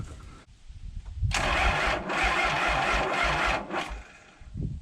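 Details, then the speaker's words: 1994 Isuzu cab-over truck with 6BG1 diesel, sitting 3 years, fuel primer freed and injectors cracked showing fuel: sluggish uneven cranking about two strokes a second, never catches; batteries suspected dead, not confirmed. "i think we just don't have enough cranking power where these batteries are dead now so i'm just gonna leave this charge overnight and we'll come back tomorrow"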